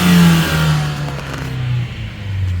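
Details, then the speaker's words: 2014 Ford Escape in park on ramps, after fixing a leaking charge pipe at the bottom hose elbow (intercooler to throttle body): the engine revs, then falls back with a soft internal blow-off valve release. Boost now holds; normal turbo operation. "so I can already hear even in park that the internal blowoff valve have something to release"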